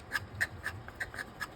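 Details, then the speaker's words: MARBLTRAK marble booster with a 550 motor, shaft pushed all the way against the outside wall: quick regular scraping ticks, about four a second, over a faint motor hum as the orange piece rubs the housing wall. Fix is to back it out slightly. "and then the next thing we're going to want to do is make sure that this orange piece is not rubbing against the wall if I push it"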